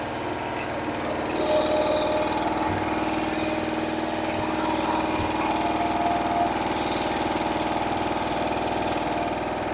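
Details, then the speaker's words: Rebuilt Pontiac 400 V8 with a shop carburetor, bolted-on mufflers without gaskets and 30-weight oil, not started for a week: a smooth, steady idle with an even low beat and quiet valve lifters, no ticking; runs well and doesn't overheat. "valve lifters you listen to it yourself and nice and quiet it idles nice Run's good doesn't overheat and it's ready to go"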